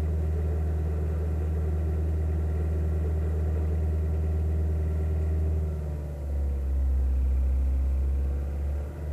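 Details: Kia Ceed JD engine at idle: steady low rumble with a faint pulsing beat about four times a second and a brief dip; abnormal extraneous engine noise, cause unclear.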